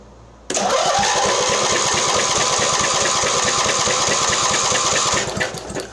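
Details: Mastercraft (MTD) 46" riding mower, Briggs twin, cranked on booster pack with compression gauge and spark tester: brisk even compression beats about three per second; healthy cranking, 120 psi, spark jumps 1/4 inch gap.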